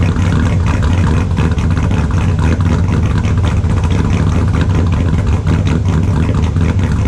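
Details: 2002 Silverado with a built LS V8, after a cold start following three days sitting: a deep, extremely loud, steady, even idle with no misses, knocks or ticks.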